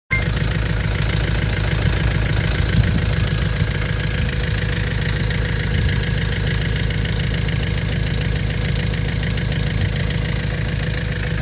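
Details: 2005 Renault Trafic 1.9 dCi diesel at idle: a hard, fairly regular knock of about three per second rides over the clatter; source unknown; engine knock at idle.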